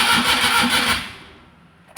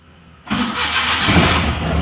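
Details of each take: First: Maruti Suzuki Omni MPFI, towed in, ignition on, in neutral, fuel pump and PCM relays clicking: starter gives steady whirring crank that never fires; cranks but won't start, cause not yet found. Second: Maruti Suzuki Omni MPFI that previously cranked without starting, with its key-on hum now restored; short crank, fires at once and settles to steady even idle; normal start.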